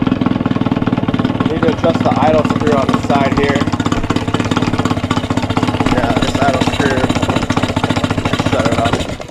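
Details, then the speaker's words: Cheap Johnson two-stroke outboard, 115 psi compression on both cylinders with good spark: slow, lumpy idle close to stalling. The idle is set too low, and the idle adjuster is being extended to raise it. "And uh I'm just going to twist this to extend the idle a little bit."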